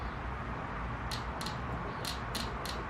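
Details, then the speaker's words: Fuel injector from a 450 dirt bike that had been bogging, bench-tested while being cleaned: sharp crisp clicks in quick bursts, with fuel visibly coming out. The injector is working normally. "I do hear and see stuff is coming out of the injector so it's working"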